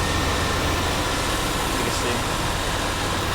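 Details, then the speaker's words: 1990 Chevrolet Silverado 1500, 350 V8, original owner, 54k miles, heard under the hood: steady, even low idle rumble with no knocks, misses or ticking; no blow-by, starts easily every time; healthy idle. "I'm going to start it so you can hear it. Very quiet, no blow-by."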